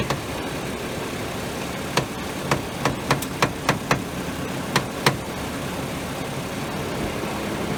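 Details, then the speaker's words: 2011 BMW 535i at idle: sharp cracks and clunks bunch up as the wheel is turned; the stethoscope finds the crackling loudest at the front sway bar; owner suspects the sway bar bushings, not yet confirmed. "Then I put it in other spots and I really don't hear nothing, but when I put it here or here, I really hear that crackling."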